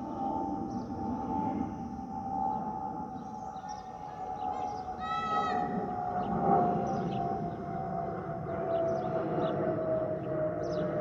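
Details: Spirit Airlines Airbus A319-132 N510NK, flight MCO-DTW, from the cabin: steady high whistle over cabin roar, drifting slightly lower; normal fuel over-pressure protector (FOPP) vent whistle.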